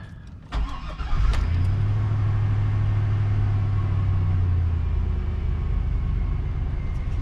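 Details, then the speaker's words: 2002 Chevy Tahoe 5.3L, cold start at about 40°F after sitting overnight, after new intake gasket fixed cold rough idle and stalling: cranks, catches quickly, steady even idle; runs normally. "get and there's the chains oil so i think thing runs great spent a lot of money on stuff i didn't need to spend money on as you can see it's idling"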